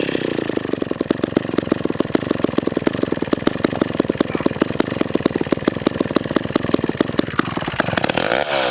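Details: McCulloch 1-42 two-stroke chainsaw, restored project saw, cutting wood: crisp, rapid popping holds steady as the chain bites, no bogging or misfire; healthy running saw under load.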